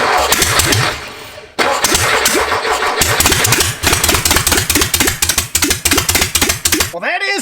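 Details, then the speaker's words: Reassembled air-cooled VW flat-four on a starter stand, first start with no real exhaust: brief crank then loud, sharp, even firing pulses; started without ether and runs cleanly, just loud. "a good sound a little loud with uh no real exhaust maybe we'll put an exhaust on it"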